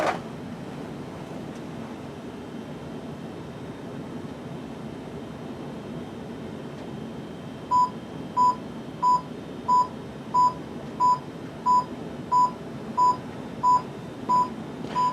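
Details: Lionel Universal Remote Controller 6-83071 pairing with an American Flyer FlyerChief Pere Marquette Berkshire locomotive. Clean mid-pitched single beeps, evenly spaced about every two-thirds of a second, over a low hum: the decoder is waiting to pair with the remote.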